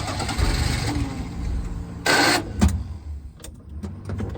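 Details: 1988 Daihatsu Hijet carbureted mini truck, sat for years, hot after running, pedal floored: starter churns in uneven bursts, engine coughs nearly firing but never catching; hard hot restart, its longstanding problem.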